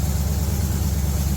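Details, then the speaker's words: LS V8 in a G-body El Camino on a budget Amazon harness, after tweaking the throttle body: deep, steady burble holding an even idle with no hunting or stumbling; now sounds normal. "So after cutting off the truck, you can hear the idle of it. It sounds much more normal, and it's not up there searching for its idle, just trying to stay alive."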